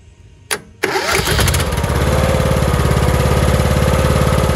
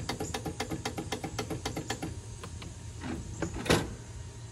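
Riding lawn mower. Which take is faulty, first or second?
second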